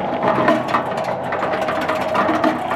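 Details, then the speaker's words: Harbor Freight 3.5 cu ft cement mixer, model 67536, freshly assembled: busy gear chatter with sharp ticks and an occasional loud clunk; owner suspects some holes in the metal drive wheel are not fully punched through. "that metal wheel is going to be a little loud ever so often you hear it just hit one it goes like it's clunking like BAM"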